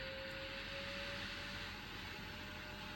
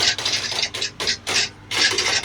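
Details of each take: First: Large washing machine on quick spin after fixing the blocked drain pump: steady even whir with constant mid hum, no knocking or grinding as drum spins up; healthy after repair. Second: Large washing machine reported noisy, on a quick spin: uneven bursts of light hissy rattling with no deep thump from the bottom drain pump, something loose inside; blocked drain pump, to be cleared via the drain filter.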